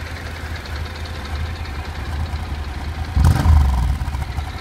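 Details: Honda NC700X motorcycle, engine at full heat; light, uneven metallic rattle about three times a second over the hot idle from the right side of the engine only when hot, louder on a blip; cause unknown.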